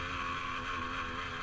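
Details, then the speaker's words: 2013 GasGas XC300E two-stroke with a newly fitted Lectron carburetor, after hard riding: a high drone holds up and won't drop to a settled idle. Hanging idle, later improved by richening the power jet half a turn. "when I was riding it real hard the bike didn't want to settle back in the idle it sounded like it had a hanging idle and it just did not want to settle down into a smooth"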